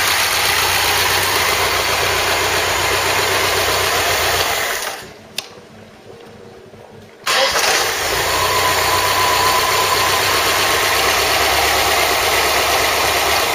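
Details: Ford Cortina Mk3 with a freshly rebuilt 2.0 Pinto engine, first test start with oil pressure monitored: catches promptly and settles into a smooth, even idle with no knocks or misses, running healthy.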